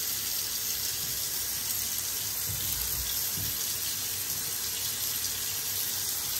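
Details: Water runs steadily into a sink with an even hiss and no gurgling or glugging from the drain; normal quiet drain flow, no trapped air through a clog.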